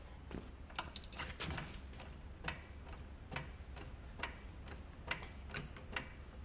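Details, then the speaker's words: 2004 Ford Focus jacked up with the rear wheel spun by hand: a slow, uneven grumble with scattered clicks, worse under load and when driving, with no wobble; the rear wheel bearing is worn and needs replacement. "I don't know if you can hear it, but it's pretty grumbly in there. And when you put weight on it, it gets even grumblier, especially when you're going down the road."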